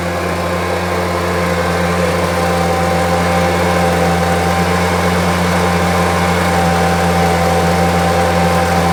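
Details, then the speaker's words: Homelite UT08572, small two-stroke, tested outside after repairs and a spark check: steady, even buzz at constant speed with no stumbling, surging or misses. Owner will check whether an earlier "tink" noise is gone. Normal running. "seems to be running really well. I'll review the footage to make sure that that old tink or whatever the noise was is gone. But it seems to be firmly going."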